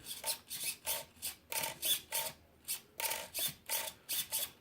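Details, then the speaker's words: Servo on a worn used Traxxas Slash 2WD RC truck, powered on with the old remote and ESC: short, crisp, even whirring bursts about three a second as it sweeps back and forth; functioning normally, though untested on the ground. "Really can't tell unless we get it out there, but functioning the way it should be."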